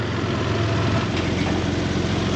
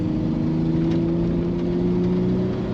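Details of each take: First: Toyota 4Runner 3.0 V6 after head gaskets, valve adjustment, timing belt and front main seal, idling while the headlight is refitted. Steady, even low idle with no knocks, misses or hunting: healthy. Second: Toyota 4Runner 3.0 V6, before repair. Cylinder 6 has been dead since the beginning and was checked by leakdown test. Eighth-mile run on five cylinders: it pulls hard under throttle with an uneven, lumpy beat. Misfire from a burnt exhaust valve.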